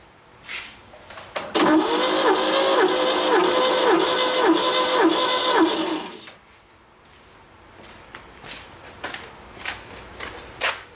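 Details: Late-1970s Bobcat 632 skid steer, 4-cylinder Ford industrial engine with blow-by and power loss, spark plugs out for compression test; starter spins the engine evenly at about four beats a second, cylinder tests good; cylinder 4 later found bad.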